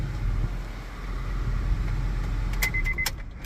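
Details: Car that had its battery installed backwards, after the blown battery fuse was replaced and the battery refitted correctly; starter not replaced: steady, smooth idle with a few light clicks in the background; normal idle.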